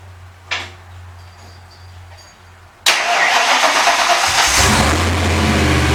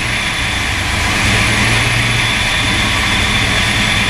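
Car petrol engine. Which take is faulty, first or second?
second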